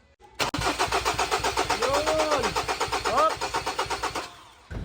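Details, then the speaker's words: 2018 Ford Everest 2.2 diesel with fuel in the tank: steady starter cranking at about four turns a second that never catches, repeated tries; crank-no-start. "sinubukan naming paandarin dito pero ayaw talagang tumulo yung andar same pa rin makailang Subok nga kaming Start at ayaw talaga"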